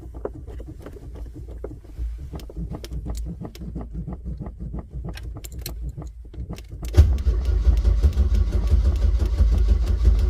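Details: Old Chevrolet: light clicking and repeated pedal pumping while cranking, then catches with low, uneven idle; cause unknown; hard start.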